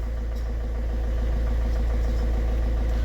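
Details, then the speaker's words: Ford Figo diesel after injector replacement: steady, even idle with a smooth low rumble, no knocking or misfire; engine running healthy. "ठीक है कोई इसमें कड़कड़ नहीं कोई इसमें इंजन में मिसिंग नहीं एक साथ लेके चल रहा है"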